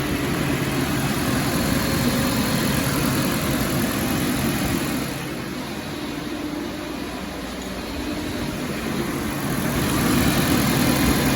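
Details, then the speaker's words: 2018 Nissan Versa at idle with AC on, after a new engine fan was fitted because the dead fan let AC high side pressure exceed 400 psi and slip the belt: even idle, then a steady airy whoosh as the condenser fan kicks on, no rattle or squeal. Normal. "There it goes, it came on. Fan just kicked on. We'll watch our pressure."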